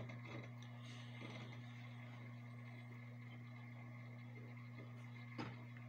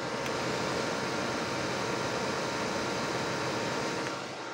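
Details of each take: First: Desktop PC booting normally after fixing a red-light-blinking, beeping, fast-fan no-boot fault: quiet, steady low fan hum with one brief click; PC boots and runs normally. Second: HP desktop PC not booting after long disuse, red light blinking; fan runs at full speed with a steady loud rush that never settles; dirty RAM contacts were the cause.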